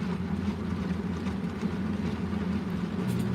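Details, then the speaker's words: Washing machine on a smaller load, suds-locking in spin at about 400–500 RPM. A steady motor drone with low hum labours and slows down a little, though it handles better than the previous run. "It's definitely suds-locking, but it's at, like, I don't know, 400, 500 RPM. It's slowing down a little bit."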